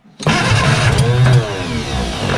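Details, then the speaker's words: Austin-Healey Sprite barn find, first start with carburetors refilled and chokes held up: cranks, then fires and catches with a rough, uneven run wobbling as it struggles to keep going. "a good sign wants to go"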